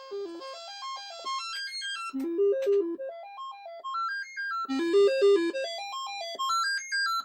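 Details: Commodore 128, not powered in a long time, sound test: clean stepped synth notes climbing and falling in quick runs with no crackle, buzz or dropouts; sound chip output normal.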